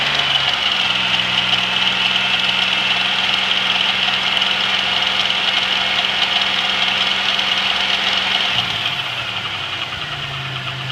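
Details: GM 3800 V6 with 237,000 miles, noise began the night before: fast, uneven tapping about three to four a second over a loud idle that drops near the end. Engine tick; owner suspects a collapsed lifter, unconfirmed.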